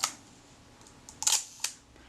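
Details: Kodak Retina Reflex S film camera shutter firing cleanly with crisp mechanical clicks and a brief whirring snap after servicing the stiff mechanism plate and correcting the timing.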